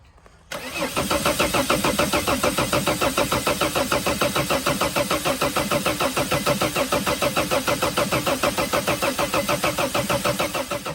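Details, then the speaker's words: Sprinter diesel injector leak-off test, camshaft sensor unplugged, van already a no-start, lines full of diesel: steady starter cranking at about three turns per second for ten seconds, never fires; cause not confirmed. "but this vehicle will not start anyway so it's pointless for me to unplug it but it is unplugged because that is the way you do things so now I just supposed to crank it over for 10 seconds and see what's up"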